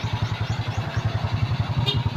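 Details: SYM scooter that started then died, after draining watery fuel and fitting a new CDI (ignition coil and spark plug also faulty): engine fires and settles into a steady, even putter at idle with no misses, running properly now.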